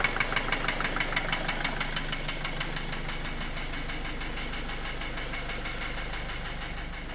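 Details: 2010 Opel Astra J 1.7 CDTI 125 HP diesel: hard, even knock about three per second over idle, easing slightly; began after clogged oil pickup in sump, bearings checked fine, injectors replaced without help, power normal, slightly quieter when warm.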